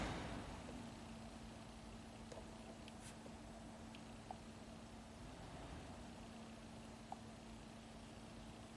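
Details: 2013 Nissan Murano with dead center control panel (no HVAC, radio or nav), blower motor fuse temporarily installed during scan-tool HVAC active test: quiet, steady low hum at one even pitch, no rattle or scraping; blower motor running normally.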